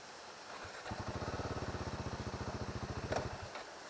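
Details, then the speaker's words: Royal Enfield Himalayan single-cylinder: even idle thumps then engine dies when put in gear with the side stand down; side-stand sensor cutoff, not a fault. "Stand எடுத்து விடுங்க bro side stand இருந்தா sensor தான இது கீர் போட்டீங்கன்னா of ஆயிரும் ஸ்டாண்ட்ல இருக்குறப்ப கீர் போட்டீங்கன்னா of ஆகும் வண்டி"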